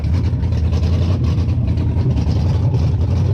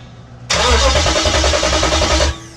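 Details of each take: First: 98-03 Dodge Durango/Dakota Hemi swap, first start after disabling the CAN-bus ignition system and intake runner control and deleting EVAP: deep, steady V8 idle, even low rumble, no knocks or misses, shut off quickly. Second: 98-03 Durango/Dakota with a Hemi swap, during starter and SKIM wiring: the starter spins the engine at a steady, even rhythm for about two seconds and it never catches, not getting fuel; crank, no start.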